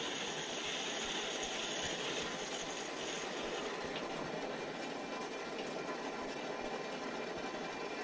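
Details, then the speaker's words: Gas boiler heating loop after replacing PRV and backflow preventer to restore pressure (about 26 psi) for third-floor air handler: steady unbroken rushing hiss of water through pipes; normal water flow. "sounds like solid waters coming through this is the third floor"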